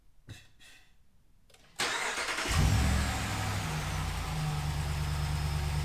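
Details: Ram Rebel Hemi V8 just fitted with a Corsa PowerCore closed-box dry-filter cold air intake replacing the factory intake: a few clicks, starter catches, fires cleanly, blips once and settles to an even smooth idle with a deep intake note. Normal start and rev.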